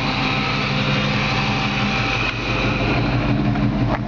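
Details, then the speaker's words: 1954 Chevrolet 3100 pickup on S10 chassis, Chevy 350 4-barrel V8 with serpentine belt, hot day: smooth, even V8 idle with steady low rumble, no ticking or knocking; healthy engine. "You can hear the engine just runs perfect. I mean, fantastic. No ticks or any unusual noises out of it."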